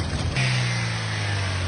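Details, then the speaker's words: Toyota Vios engine after throttle body cleaning, restarted and tested: catches within a second and settles into a smooth, even low idle, no shaking or misfire. Spark plugs and ignition coil were fine, MAP sensor cleaning hadn't helped; dirty throttle body was the cause. "So ayun mga bossing, nakita nyo naman no, tahimik na, hindi na nanginginig yung kanyang makina."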